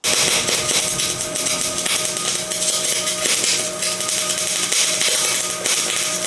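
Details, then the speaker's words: MIG welding with voltage set too high gives a steady, airy arc hiss with occasional crackles. The wire balls up and drops into a watery puddle, and the bead can be underfilled and undercut. "And then problem number two is having too much voltage. You'll notice the arc might have more of a hissing sound and the wire won't make it to the puddle. It'll just ball up and then drop into it."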